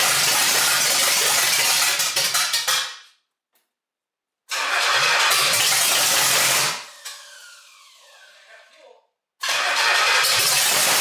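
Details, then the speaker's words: 1968 GTO with a rebuilt Pontiac 400 stroker on first start, with a loose distributor cap. It catches and runs unevenly, dies, refires briefly and dies again. Rough running and stalling; the timing needs adjusting. "all right so definitely need to play around with the timing i got to get that stupid distributor cap to stay back there"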